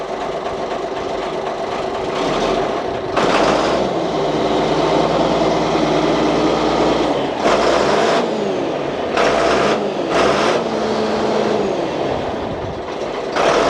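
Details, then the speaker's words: 47-year-old Ford FW30 articulated tractor diesel after reconditioned injector pump was redone: catches and runs evenly, revs rise and settle cleanly with no misfire, knock or hunting, much better than before; normal running. "Oh. Listen to that. That's so much better."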